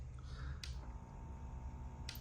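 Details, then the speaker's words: Heathkit 1144 power supply (3055 transistors replaced after a short) powering a Ten-Tec Omni 6 transmitting at full power: low steady mains hum with buzzy edge and clicks; normal transformer grunt, supply working. "Little hum going on, right? You know it's working."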